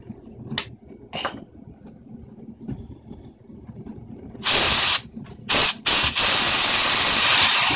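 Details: Craftsman air compressor after its broken regulator was repaired, tank at 80 psi and regulator turned up: quiet at first, then loud steady hiss bursts as air rushes from the outlet; output pressure now rises normally.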